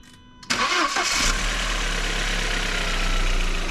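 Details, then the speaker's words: VW Passat B5 1.8 turbo, after replacing a faulty ignition coil that caused a knock from the cylinder head: catches quickly and settles into a smooth, even idle, no ticking or stumbling. "всё работает ровно чётко теперь можно собирать Всё назад"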